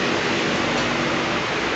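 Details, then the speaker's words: Mercedes Smart after replacing the radiator electric cooling fan that made a strange noise with A/C on: fan runs with steady even airflow, no rattles or scraping, coolant at 78 degrees. "le cambiamos el el electroventilador ahí están dando Electro no se escucha ni un ruido ni"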